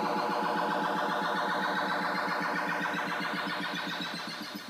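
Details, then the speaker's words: Williams System 6 pinball sound board put into its own diagnostic test by a board button; warbling electronic tones pulse about four times a second in a permanent loop until power-cycled; normal self-test cycling. "hat button it will put the sound board into its own diagnostic test where it will it'll just start cycling through various sound and speeches"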